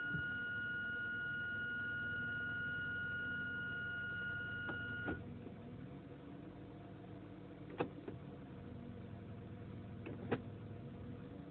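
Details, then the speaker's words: Mitsubishi Inspira 2.0 / Lancer GT after engine mount replacement, heard from inside the cabin at idle with aircon off: soft, even, steady engine sound, the previous droning hum and vibration gone. "Okay, there's no more droning sound, or should I say the humming sound, and this is what it sounds like from inside the car."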